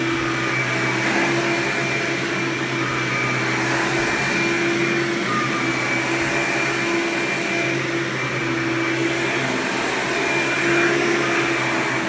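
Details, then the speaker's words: Hoover Power Drive Supreme U6318-930 upright vacuum, made June 1998, 120 V 7.8 A: loud steady high-pitched motor scream with unwavering tone; normal running. "I'll turn this vacuum on and demo it so you can hear it now of its screaming loud Hoover glory"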